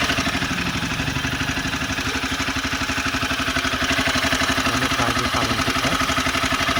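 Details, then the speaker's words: Honda CBR 250R at idle: quick even ticking clatter about four beats a second, owner suspects loose timing chain needing tensioner adjustment, before tightening. "I have a CBR 250R okay uh which has a timing chain sound seems to be the chemical is a little bit loose on it so which needs to be tightened"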